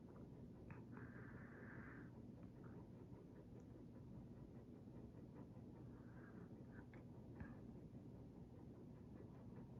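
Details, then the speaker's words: Hunter Mariner 52-inch white ceiling fan with Marine II light kit, running on its low setting. Only a soft, even low hum with no ticking, rattle or wobble; absolutely quiet, normal operation. "well not a fan absolutely quiet no lights not making any noise which is nice"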